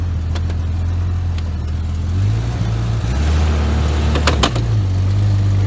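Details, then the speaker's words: Old Jeep yard vehicle on ramps, cold day: engine note rises and falls with irregular crunchy clicks over the drivetrain as it loads up; bad driveshaft universal joint. "when you hear this crunching sound of a drive shaft that's got a bad you join in it"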